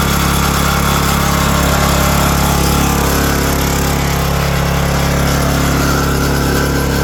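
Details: 2022 Oregon 3000 Series log splitter with 6.5HP Kohler engine, about 20 hours, after the known-issue sensor was unplugged to fix no-start and stalling: steady, even single-cylinder drone at constant speed, no misses, knocks or surging; normal running.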